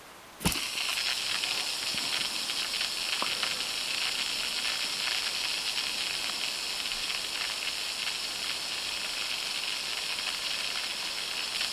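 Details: Daiwa 7HT ST reel after rebuild with stainless main gear and new pinion support, spool tension set: long even high whir fading slowly over about 1.5 minutes with magnetic brake off, no grind; bearings spin freely.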